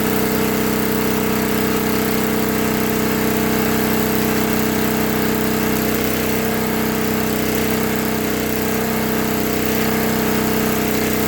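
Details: 1964 Lincoln Weldanpower 150 AC generator/arc welder (year guessed from serial) revved to high rpm after a new coil, condenser, spark plug, plug wire, fuel line and filter, and sanded, reset points. The magnet had been rubbing the coil. Constant steady high-speed hum, no surging or knocking. Running well.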